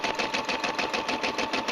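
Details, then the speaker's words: Brother SE 350 in embroidery mode, started with the button; even, light clatter about seven or eight stitches a second, steady rhythm, no knocks or grinding. Normal embroidery stitching. "We're going to hit the button and she's going to embroider."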